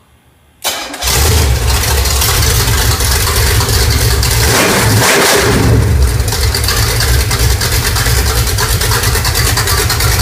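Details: New Pontiac budget stroker crate engine, 6X heads, Performer RPM intake, mild flat tappet cam, camshaft already broken in: catches after a brief crank and settles into a strong, even V8 idle, no knocks or misses; runs well.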